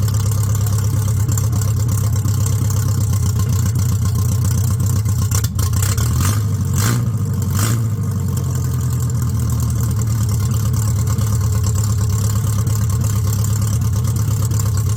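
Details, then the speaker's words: Car running with new extractors (headers) just fitted, wiring jury-rigged; deep steady even idle drone, no misses, knocks or rattles; normal idle. "well there she is running with me new extractors on"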